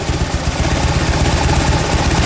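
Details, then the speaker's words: Fuel-injected Harley-Davidson V-twin after cleaning the intake, which cured stalling at idle and cleared the P0152 rear-cylinder rich code: loping, even idle holding steady with no stumble or dying out. "Now it's idling like it's supposed to."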